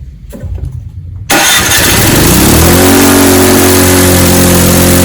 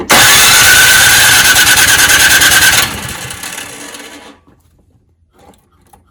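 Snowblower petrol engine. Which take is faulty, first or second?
second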